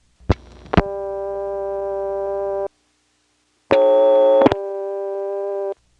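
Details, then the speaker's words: March 1977 Stromberg XY step office, Fuquay-Varina NC, very long line likely with range extender: coarse buzzing hum under a second before steady dial tone settles in, caused by the long line being unbalanced before dial tone; first line has none. "notice that the second phone line has a lot of a hum before the dial tone comes on which the first line does not have and the reason you hear that is that the long line makes hum whenever it is unbalanced"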